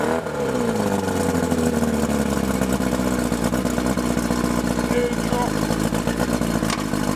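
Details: Mercury 50 hp Classic 500 four-cylinder outboard, carburetors cleaned, electric starter, choke and key switch added, recoil start repaired, running on water; steady even drone settling smoothly as revs drop, no misfire or knocking: normal running.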